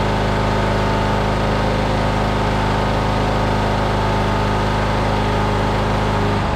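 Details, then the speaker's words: Riding mower engine running after a welded starter repair: steady, even beat, no misfires or knocks, then a clean shutdown. Valve cover oil leak makes brief smoke once hot, then it runs clean; runs healthy. "When you start it up and after it gets hot, it'll run the mosquitoes away for a little bit, and then it runs clean the rest of the day."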